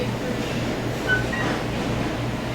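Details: Turbo Chef I3 oven just after magnetron replacement for a low mag fault, leak tested, powered back on: steady low hum with soft fan rush, no crackle or arcing, coming on immediately and running normally.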